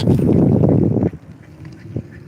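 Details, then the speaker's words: E-bike rear wheel while riding: harsh, rough grinding with a quacking, squawking edge that comes and goes; rider says it is not the brakes or mud flap and the wheel is tight; brakes also squeal; cause unclear. "It's not the brakes. Not the mud flap. The wheels on tight as it gets."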